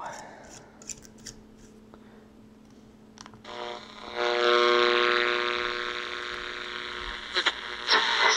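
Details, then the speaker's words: AM radio near a CFL bulb, noisiest bulb tested, worse than LEDs: quiet hiss turns into loud steady raspy buzz swamping AM band; not a big issue when tuned to a station; CFL RF interference. "well the CFL is the noisiest bulb of them allall so LEDs are better in that regard but still when you turn tune into a station it's not a big issue at all"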